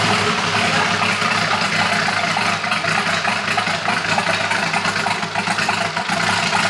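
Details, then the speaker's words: Polaris RZR with a swapped-in Yamaha Nytro snowmobile triple-cylinder engine, running after its fuel issue was sorted; more sensors still to be added. Steady fast idle with an even, busy mechanical clatter, no misses or stumbles; normal running. "All right, so the unit runs finally. Kind of figured out our fuel issue"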